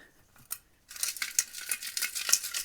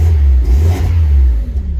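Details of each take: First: Old catalytic converter removed from a Mazda Miata (failed smog, likely ran years with a blown head gasket), shaken by hand: loose tinny clatter of broken pieces inside the shell; broken catalytic converter substrate. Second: Miata after a new exhaust gasket and a replaced exhaust-bolt washer: deep, clean rev and fall with no ticking or puffing from a leak; exhaust sealed, normal exhaust note, much better than before.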